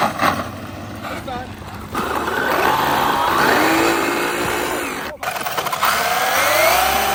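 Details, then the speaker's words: Traxxas Maxx Slash RC truck fitted with M2C parts, during hard bashing. A whine rises and falls with the motor, with a rough grating edge that comes in only under throttle. The noise is traced to the rear differential. "It only does it when it's under power. Yeah, I don't know what that noise is. There it is, rear diff."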